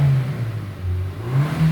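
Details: Hyundai Sonata DN8 The Edge, complaint of clunking and limited power when accelerating: a smooth low engine hum builds evenly with no knocks or stumbles. This is a normal pull.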